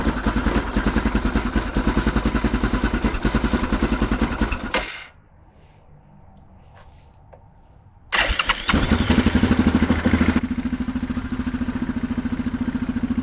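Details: Neglected Yamaha Grizzly 660 ATV found with no antifreeze and no oil, idling and under throttle: sharp raspy chuffing on every firing pulse, cutting out then restarting. Exhaust leaks are bad.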